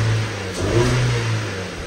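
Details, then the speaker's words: Flood-damaged salvage Ford Fiesta running: a short, clean rev that climbs and falls smoothly with no stumble or hesitation; not sluggish, revs up well, engine sounds healthy. "it's actually running a while it's not [Music] sluggish revs up really well"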